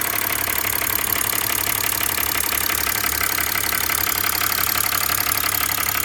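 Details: 2005 BMW 325i, M56 engine: steady idle with a fine, regular rattle about three per second, constant with no change in engine speed.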